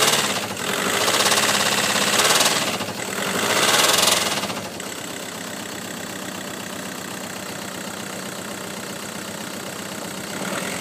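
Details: Volkswagen Golf GTI petrol engine revved several times, a rapid knock of about three to four per second riding on the revs; engine knocking when revved.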